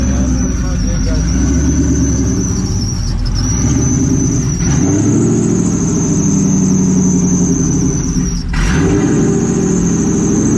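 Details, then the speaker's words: Supercharged car idling after a new belt was fitted, awaiting a tune: steady high squeal over the idle, flickering briefly but never stopping; owners traced it to the alternator pulley. "The pulley, no? Oh, it's that one. That's pretty much the alternator that's doing that noise."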